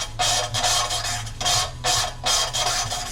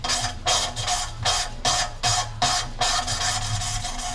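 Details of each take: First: Cylinder head valve being lapped onto its seat with coarse carborundum paste: rhythmic gritty rasping strokes about two and a half a second, losing coarseness as the paste breaks down and the seat grinds in. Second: Rover/TVR V8 cylinder head with distorted seats, lapping a valve in by hand with the valve lifted slightly to draw in more carbon grinding compound: rhythmic gritty strokes whose coarse rasp dies to a softer rub as the carbon breaks down; seat ground in.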